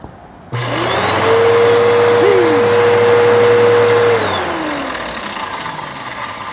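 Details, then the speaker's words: Waterlogged Bissell PowerForce Helix curb-find vacuum: motor spins up to a steady whine with a wavering squeal, then winds down; brushroll belt slips badly. "let's see what it sounds like see how badly the belt slips it slips badly"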